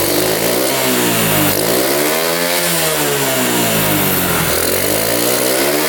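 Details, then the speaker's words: 1972 Honda CT70 single, bought at auction with a bogging problem, revs up and drops back smoothly twice, no popping or stumble; timing F mark centred at high idle, creeps slightly as revved: normal idle and revving. "Oh, we're right there. We are perfect. Turn the idle down a little bit. That's right where we want to be here."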